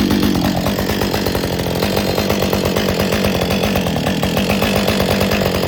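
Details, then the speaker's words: Husqvarna 562XP Autotune chainsaw after repair, test run with bar and chain, no load: idle stabilized about 2700 rpm, high speed about 13,000; even crisp two-stroke burble, running normally. "Okay, that worked. Okay, we're back in the shop on the bench again after a successful test run and the idle seemed to stabilize at about 2700 and the high-speed topped out."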